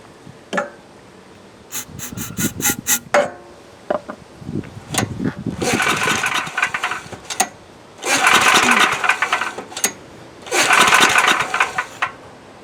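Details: Coleman Powermate MAXA 5000 ER generator, old 10 hp engine hard to pull, new replacement carb fitted: several rough recoil pulls, short rasping bursts with no catch; plug dry, no fuel reaching cylinder, no start.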